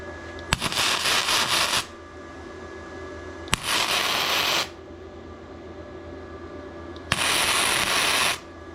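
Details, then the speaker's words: ARCCAPTAIN MIG130 gasless MIG: three short even sizzling spot welds of about a second each with quiet gaps, the solid ch-ch-ch sound of correct welding. "You're going to hear it go ch-ch-ch-ch-ch-ch-ch. And when it's that solid sound, that's what you're wanting to do."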